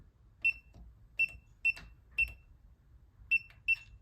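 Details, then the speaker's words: New replacement ULTRALOQ U-Bolt Pro smart deadbolt, manual keypad code entered after app unlock failed: six irregular short high chirps with no motor whir or bolt throw. Code rejected and lock stays locked; cause unknown. "Nada. So I'm not sure what is causing this. I've even tried to manually close it."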